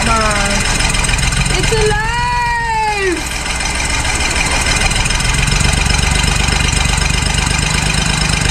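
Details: 1966 Ford Mustang six-cylinder barn find, unrun for 40 years, catches and settles into a steady low idle over background music after an open vacuum port was closed; runs on its own, idle still being set.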